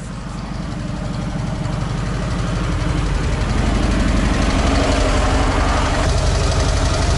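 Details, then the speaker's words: ZAZ 968M after long storage, fuel pump repaired and carburettor partly sorted (accelerator pump sticking): steady, even low idle with a regular pulse around four beats a second, no knocks or misses; engine idles normally. "так ну что на сегодня все бензонасос починил немного карпат шамаев сузьте как работать нормально"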